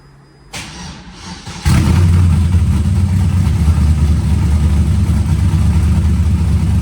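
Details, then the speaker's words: LS-swapped Mustang drift car started with newly finished welded exhaust and turndowns, no hangers yet, one V-band clamp possibly leaking: short crank, then a loud, deep, even V8 burble with no misses. "I certainly think this thing sounds amazing. I hope you guys agree."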